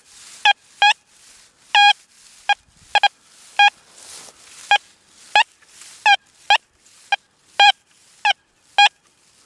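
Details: Deus 2 metal detector with 11-inch coil, short bright mid-pitch chirps over near silence as it sweeps, a weak but clean response to a dime about 10+ inches deep.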